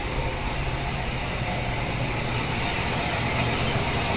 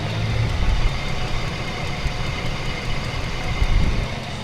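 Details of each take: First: S10 Blazer Vortec V6 idling after replacing the ignition coil that had been leaking current and causing a rough, shaking misfire: steady, even idle with no stumble, vibration or knocks, repaired and running normally. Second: Chevrolet S10 Blazer Vortec V6 idling rough and misfiring: faint, irregular snapping clicks over the engine rumble as current leaks from the ignition coil and arcs to the chassis instead of reaching the plug.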